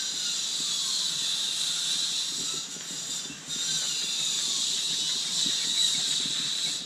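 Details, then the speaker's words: Roundhouse Silver Lady live steam model loco running on Little Hay Miniature Railway at good pressure (runs 25–40 psi): strong steady steam hiss with soft, fairly regular chuffs underneath; normal steam chuff. "Some of them's chuff on there, as you can hear."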